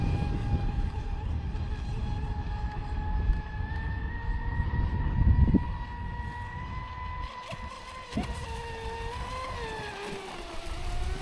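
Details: Traxxas Spartan SR 6S RC boat after repair: smooth steady electric whine holding even pitch, earlier cracking noise gone; running normally.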